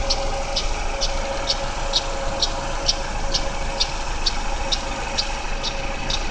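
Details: GM Daewoo Lacetti 1.5L F15D3 E-TEC II DOHC inline-4 at cold idle: sharp light metallic ticks about twice a second, loudest between exhaust cam pulley and power steering pump; disappears after 15–20 minutes running.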